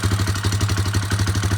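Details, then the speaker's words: Warrior single-cylinder after valve adjustment and exhaust tightening, with tapping earlier suspected from the maxed-out timing chain tensioner: even idle thump with a light tick on each beat; a small top-end tick remains. "Still a little tick, but you know, it's what it is."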